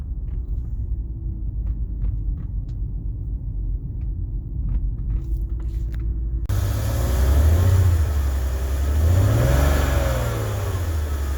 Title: Karson BMW 330ci Rough Idle